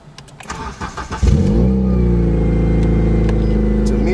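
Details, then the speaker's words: Project car started and left to warm up, cold idle; cranks, catches and settles into a steady idle with a quick puffing tick on top: exhaust leak, sounds disconnected at the headers. "me, it just sounds like it just disconnected from the headers and stuff like that."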